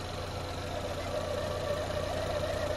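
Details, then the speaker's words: 2.4L Ecotec four-cylinder Chevy Equinox at operating temperature, PCV hose removed and opening covered: clear mid-pitched whistle holding steady, creeping slightly higher over a smooth idle; PCV orifice in intake manifold clear and working. "that's the whistle we're talking about reconnect your pcb hose we know that's good to go"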